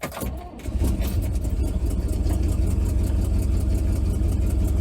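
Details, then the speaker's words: Vintage C30 RV V8, cold start: low uneven idle with a puffing, ticking chuff at each firing. Exhaust leak, less bad than before; owners suspect the donut gasket at the collector-to-pipe joint. "sadly enough the exhaust leak isn't as bad as it was but it still has an exhaust leak and we're thinking that it's probably like the donut gasket like at The Collector where it goes into the pipe"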